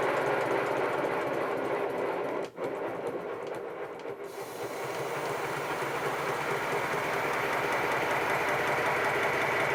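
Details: Homebuilt 1996 7¼-inch gauge 0-4-0 tank steam locomotive running on compressed air at about 50 psi in boiler: quick, fairly even chuffing about three and a half beats a second over steady air hiss; running normally.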